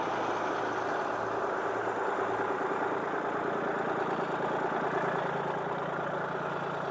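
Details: Crane truck engine on its first run. The tank had been drained and it was not run after the gas cap was found off. Idled up with the hood down: a steady, even, smooth mid-pitched idle with no knocks or misses; normal idle.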